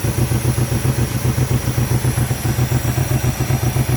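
Lumpy V8 idle with an irregular chuffing stumble about four times a second, a random misfire from failing coil packs.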